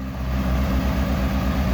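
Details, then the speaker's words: Honda CBR600RR, 13,000 miles, wrecked bike being rebuilt, first start in neutral after fitting tip-over sensor, coolant level unknown: quick, even four-cylinder exhaust pulses at a settled idle, no clunks or rattles; sounds good, normal idle. "oh yeah this thing sounds good sick alright I don't want to run that too long oh my god this thing sounds awesome"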